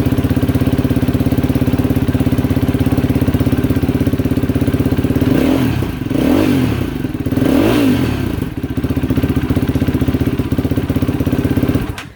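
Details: Yamaha YFZ450R quad (2022 per owner) after fuel pump replacement (original pump failed; pressure about 47 PSI spec): single-cylinder thump idles evenly, takes a few clean throttle blips and settles back before shutting off; runs healthy.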